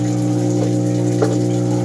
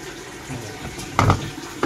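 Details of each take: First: Panasonic washing machine, not yet started: steady low hum of the drain motor running under inflowing water, so filling and draining happen together because of faulty control board triacs. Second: Panasonic washing machine after the control board repair (the failed transistor switching the water inlet and drain was replaced): water fills and splashes steadily with soft tub clunks, no longer draining while filling, and it washes normally.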